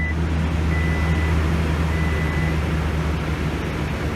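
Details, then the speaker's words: 2018 Toyota Tundra 5.7 V8 after fuel pump replacement (crank-no-start fixed), started after extended crank: low, steady, even burble with no stumble or tapping; normal idle. "I tried to cycle the key to prime it a few times but it still seemed like it just had to have an extended crank in order for it to build up enough pressure to get it started but once it got started this thing's running great"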